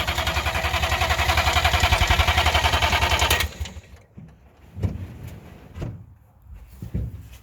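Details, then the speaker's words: 1958 DKW pickup, front-wheel-drive three-cylinder two-stroke (oil mixed in the gas), first start after sitting a long while: even starter chugging about four beats a second for three seconds, no firing, then silence; plenty of gas in tank. "I wonder if there's any gas well we're going to check the petrol there's lots of gas there got gas well then it should be running"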